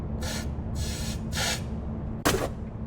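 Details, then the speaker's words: Compressed air through the fuel line of a 1990 Mazda Miata with a crank-no-start: four short bursts hiss freely all the way to the back. The blockage cleared with a pop and the line is now unobstructed; the fuel filter will be replaced anyway. "so I already blew out the line but just so you guys can hear the hissing all the way to the back it's on it's unblocked right now"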